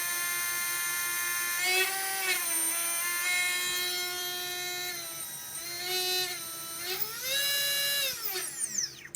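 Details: Readytosky 1804 brushless drone motors in vibration testing after calibration: rising and falling high whine with rough, buzzy edges on each spin-up; low-quality motors with bad bearings and heavy vibration, magnets coming loose.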